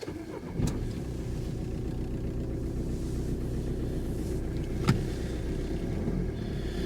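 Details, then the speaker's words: 1.5 diesel auction car: fires and settles into a steady, even diesel idle with no rattle or knock; sounds healthy. "this is the 1.5 diesel so far I am liking this"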